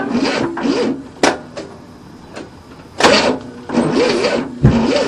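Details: 1967 Cadillac not started in 30 years, cranked with new starter after timing retarded, choke propped open with screwdriver: uneven bursts of starter whirr with wavering pitch, no catch; smells flooded, squeaking noted, engine cranks but won't fire.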